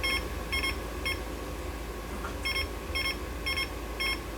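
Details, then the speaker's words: Fluke tester with a 6502 pod on a 1979 Atari Asteroids PCB while trying to clear a control error on bit 4 (R/W): short high beeps in clusters, about two a second. Error beeping, later traced to a bad pod cable. "i'm trying to clear this control error i don't see what else is connected to rw except for this 244"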